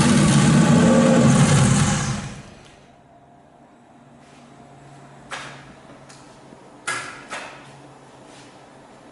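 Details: RB26-swapped Subaru WRX after oil cooler and filter relocation: about two seconds of steady rhythmic cranking that never catches, then silence with odd clicks; cranks but won't fire.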